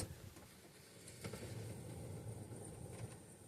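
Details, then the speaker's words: 2009 Buick Enclave 3.6 V6 with code P0335. Crankshaft position sensor replaced, has fuel, and the sensor wires have continuity. The starter turns the engine in a quiet, steady churn of about four beats a second, but it never fires. Crank, no start. "2009 Buick Enclave won't start CKP crankshaft I checked the wires they all have continuity and it does this."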